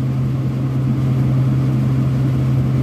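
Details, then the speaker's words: Vertiv Liebert PDX precision cooling unit with the compressor switched on manually at about 50% capacity, starting after a short delay: steady low hum with an even motor rumble and no knocks; compressor runs normally, though the fan is noisy. "so it did go on run okay there goes there's a little delay fifty percent there's a little delay from what initiated so the compressor is on right now"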